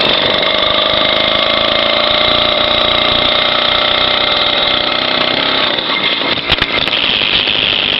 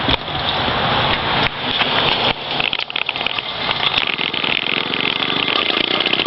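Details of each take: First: Small two-stroke motorized-bicycle engine kit on its first start: high, steady buzz with an even beat and no stumbles; the engine is idling normally. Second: Two-stroke motorized bicycle engine kit, first start by rolling downhill: uneven, hissy note that surges and stumbles without settling because the choke was still on; rough running with choke left on.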